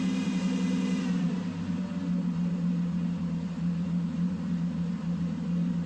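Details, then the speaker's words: Mercedes first running on its own fuel after 13 years sitting, belt removed: steady, fairly fast hum with no rise or fall; idling high after revival. "This car is running on its own fuel. Unbelievable. I mean, it's idling high, but like what do you expect?"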